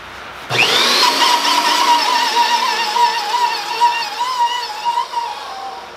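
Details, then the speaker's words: New Hougen HMD905SK mag drill squeaks on startup: motor spins up with a rising whine, then a thin wavering squeak near 1 kHz; owner suspects the brass collar isn't getting lubricated. "once again we're having to resort to reading the manual you turn it on it makes a squeak it doesn't say anything about that"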